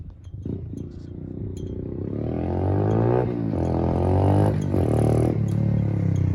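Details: Pit Pro pit bike with a 90cc GPX engine, new Amazon carb replacing an oversized carb that ran too rich to run; idle set, air-fuel set after a ride. Small single climbs smoothly under throttle without stumbling; normal running.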